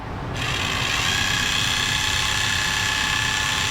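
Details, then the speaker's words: Motorized 3D-printed display turntable with PETG-HF gears and a variable speed knob, running before the intermediate gear is fitted: loud buzzing chatter with a fast, uneven rattle about 220 per minute from the gear train. It turns, but noisily. "It turns. It's noisy, but it turns."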